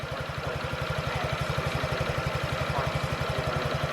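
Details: 2017 Honda Ruckus NPS50 50cc four-stroke scooter, after idle adjustment with inductive tachometer: quick, even putter about four beats a second, steady without misses; clean normal idle after earlier dying attributed to weak spark.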